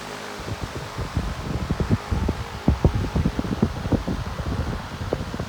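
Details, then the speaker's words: Hampton Bay 3 A pedestal fan from 2002-2003, running on high after a new capacitor: steady whoosh with gusty air buffeting the mic and no rattle, scrape or ticking. Normal running. "Just high. Does a great job on high. It's pushing the plants over here."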